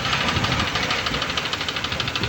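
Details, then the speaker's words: Honda Civic petrol engine idling after water ingestion (hydrolock) with a steady, sharp tak-tak-tak knock from a bent connecting rod. "टक टक टक टक की आवाज़ें आपको सुनाई दे रही होंगी।"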